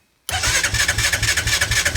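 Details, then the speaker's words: Machine on fuel reserve, possibly without fuel, cranked on a 1000 amp compact jump starter at 69% charge after a protection-mode reset; strong, even cranking at about eight beats per second that never fires, turning over well but not starting. "Still turning over pretty good. Yeah, this thing ain't gonna start, but we get the idea. She's definitely turning over."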